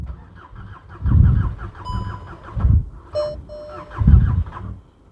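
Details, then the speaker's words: VW Golf GTI Mk6 being rebuilt, cylinder one with no compression, others good, weak battery, a little fuel: slow labouring crank in heavy surges, about a turn a second, never catches; something seems to be stopping it. "It wants to go, but it's just something stopping it. It has got a little bit fuel in it, in case anyone's asking."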